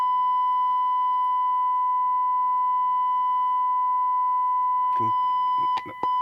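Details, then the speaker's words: Hacker RP30 transistor radio amplifier, 1 kHz test tone at 25 mV with bias turned back down from its 0.9% best setting: rough, buzzy tone instead of a clean whistle, then a few clicks; severe crossover distortion from bias set too low. "That's worse. That's severe distortion."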